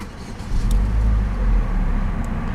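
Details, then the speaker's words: 2008 Saturn Astra XE, 1.8 L twin-cam four-cylinder, started on a chilly day: catches quickly, builds briefly, then settles into a smooth, steady low hum with no knocks or misses; healthy cold start. "well what you guys are hearing out of that tiny little engine bay up front is a 1.8 L twin cam 4 cylinder engine doesn't develop that much power"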